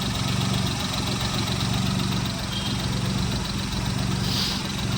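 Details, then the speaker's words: Idling petrol car engine with an uneven, stumbling beat that drops out and picks back up, whole engine vibrating, indicating misfire; a regular steady sound would mean no misfire, and rpm may fluctuate. "और अगर यह regular आवाज आ रही है जैसे ऐसे तो इस केस में मिस फायरिंग नहीं है और अगर रुक-रुक के आवाज आ रही है और पूरा इंजन वाइब्रेशन कर रहा है।"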